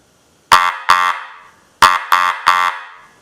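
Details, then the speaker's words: Restored antique Electric Auto-Lite car horn bench-tested on 6 volts, held up in hand: five loud raspy honks in two bursts, a strong steady buzzing tone each time; it sounds pretty good and works properly. "Alright. That sounds pretty good. Let's put it on 12."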